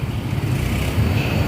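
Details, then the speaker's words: Yamaha Mio Soul GT scooter whose starter suddenly slips and cannot start the engine: a steady low whirr with no firing as the starter spins freely without turning the engine. The cause is likely in the CVT side. "teman-teman dengar suara starter yang lolos ini lebih cenderung bodynya itu ada di bagian CVT"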